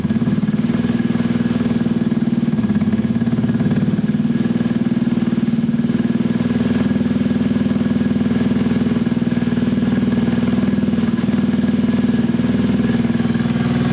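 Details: Gilera scooter after a fuel-problem fix, warming up on the stand, with the automatic choke possibly still on: steady, even single-cylinder idle with no knocks, misses or rattles. Normal healthy idle.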